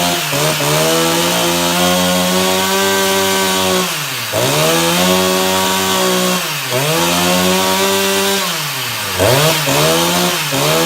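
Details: Husqvarna 353 chainsaw after fuel line work, no primer, started on the floor: two-stroke revs up and drops back a few times, pitch rising cleanly and settling; runs and responds well.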